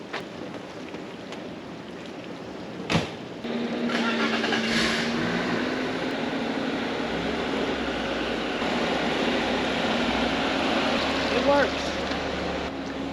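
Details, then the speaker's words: 1995 BMW E36 325i automatic, first drive after the transmission band was adjusted: quiet, smooth engine note under light driving, no knocks, slipping flare or clunks; engine and transmission run normally. "the engine is nice and smooth nice and quiet so I'm going to pull it in front ways"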